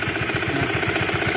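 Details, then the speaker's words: Honda CB150 early generation (K56 engine) at 1800 oil-service mark: rapid light clatter, about ten a second, from the top end at idle; cam chain tensioner rattle from a slack chain, fixable with a Honda Karisma tensioner. "suara ngelotoknya di CB150 yang generasi awal-awal sebenarnya Cuma di sini doang nanti bisa diganti bisa pakai punya Karisma"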